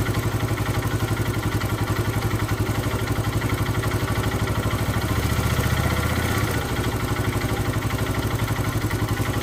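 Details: Hero Karizma R single-cylinder engine at idle with a rhythmic clatter about four times a second, swelling briefly on a throttle blip; source unclear, abnormal engine noise.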